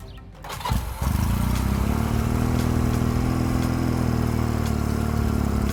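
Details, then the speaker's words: 1986 Honda Rebel 250 CMX, cold, right after a starter clutch replacement: short crank catches quickly and settles into a steady, even idle with no grinding or slipping; clean start. "seems to be seems to be fine it's a little cold"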